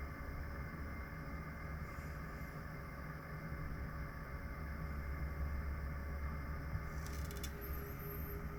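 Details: Pecron E3600LFP power station with a steady, low, slightly rough whir from its cooling fan, which kicks on at about 46–47 inverter temperature. Recorded by phone at normal distance. This is normal noise for this unit.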